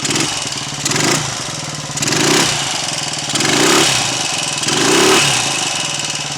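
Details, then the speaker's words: Royal Enfield 250 five-speed single, freshly rebuilt with many new components, started within a couple of kicks: crisp single-cylinder beat with gentle throttle blips, no rattles; tight engine needing running in, normal running. "got now the engine sounds quite sort of tight which doesn't surprise me cuz it's uh quite freshly rebuilt with quite a lot of new components and so it probably wants a bit of running in"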